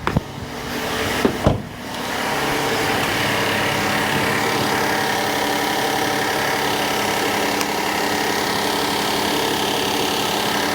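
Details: 2017 Kia Sedona 3.3L V6 after replacement of an engine that spun a rod bearing and knocked: starts after a few clicks with instant oil pressure and settles into a smooth, even idle, no knocking or power steering whine.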